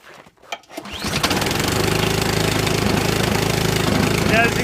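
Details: Ariens 28 Deluxe two-stage snow blower with a 254cc engine, primed three times with choke set, pull-started. After a couple of pulls it catches and settles into a steady, even chug of about three beats a second; a clean cold start.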